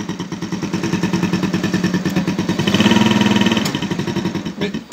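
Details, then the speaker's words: Keeway Target 125 (CUB-type 110/125 cc) at idle: a quick, even fluttering tick on each exhaust pulse. This is normal PAIR reed valve chatter as exhaust vacuum opens the valve. "when they leave that vacuum it makes this valve that is here open and generate that noise"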